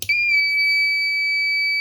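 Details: 3000 W pure sine wave inverter fed 24 V at about 2 A; single steady high-pitched beep at power-up with no heating hum behind it; shorted IGBT.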